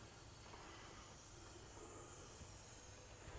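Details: 1972 Ford F100 390 V8 running poorly, cylinder 1 only 60 psi compression, leak-down test at top dead centre, engine stopped: faint steady air hiss, cylinder holding no more than about 25 psi; air escaping past rings or valves.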